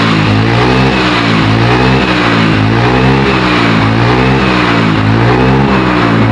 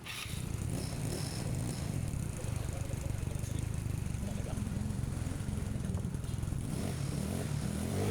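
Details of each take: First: Carburetted Yamaha Mio/Honda Beat-type scooter, hard to start in the morning, heavy starter: revs rise and sag in uneven waves with no pull on throttle; hesitation and bogging from a worn carburettor slide (vacuum) needle. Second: Carburetted Yamaha Mio/Honda Beat-type scooter after repair: worn carb slide (vacuum) needle shimmed back up with a piece of fuel drain hose; low, even putter, steady beat, no stumble or surging, power restored; normal running.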